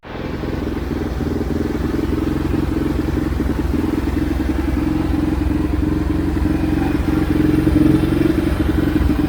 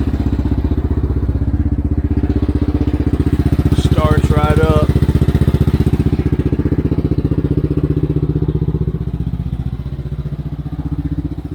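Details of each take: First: Xcel mini dirt late model (micro-sprint based) on first start after its carb was cleaned; small twin fires unevenly at fast idle with uneven chuffs, clatter and some speed rise. Oil was later found full of fuel, blamed on a junk carb. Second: First start of an Xcel mini dirt late model (micro sprint based) after the carb was cleaned. The engine catches straight away and settles into a steady, even idle with a firm, regular beat, running clean and healthy.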